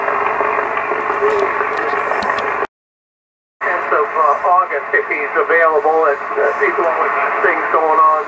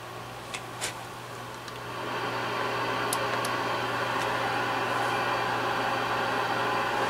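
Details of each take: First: Yaesu FTDX 560 on 40 meters with antenna connected, preselector peaking the noise: a steady band hiss, a short dropout, then a sideband voice comes through clearly; clarifier works, calibrator doesn't. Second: Yaesu FTDX-560 receiver at first power-up: quiet clicks, then even flat static with no station or tone, pre-select makes no difference; no reception, with no VFO output.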